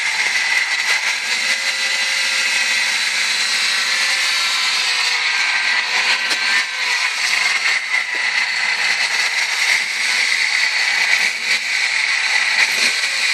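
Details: 1998 ZX2: a steady, piercing high-pitched tone rides over the running engine throughout and does not fade; the source of the whine is undiagnosed.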